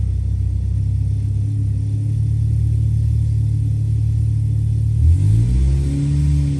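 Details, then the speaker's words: 998 Mini A-series engine on dyno at wide open throttle around 1100–1500 rpm making about 50 ft-lb, small carb, Maina M14 cam, 123 ignition distributor, 10.4:1 compression: steady smooth drone, no tapping or rattle; tapping cured. "so wide open throttle it 11,00 1500 RPM is still knocking on for 50 foot pound it's really friendly"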